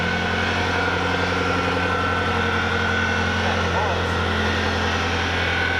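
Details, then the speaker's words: Nissan truck long parked in a boneyard, running at idle: a steady high squeal rides over the idle without changing, from a dry, failing idler pulley bearing that needs replacing. "this bearing's junk that's what squealing is this bearing yeah you're going to need a be we got to we got to take that off and find an idler that's junk"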